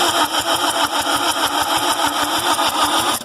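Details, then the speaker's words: A 2005-12 Lexus IS220D with a P0405 EGR code, just erased, has its EGR valve reconnected but off the exhaust manifold. The starter spins it evenly, about four or five compression pulses a second, and it never fires. Crank, no start, cause unconfirmed. "Still is not starting."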